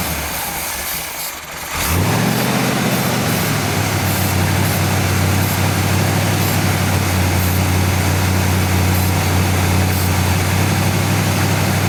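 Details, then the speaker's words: 1959 GMC pickup, 327 small-block Chevy V8, first start in 15 years, brake cleaner sprayed at the carburetor base: weak idle picks up and holds steadier and fuller; vacuum leak at throttle shaft or base gasket, carburetor to be rebuilt. "well there you go I think we can conclusively say that the throttle shaft on this carburetor or the base gasket is toast"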